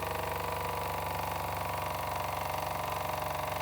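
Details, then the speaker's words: Old Jensen #35 live steam engine, double-acting, electric boiler heated about 10 minutes at about 100 volts, variac turned down to settle the run: even chuff two to three times a second, steady, no knocks; running smoothly. "And we're going to settle her into a nice little run."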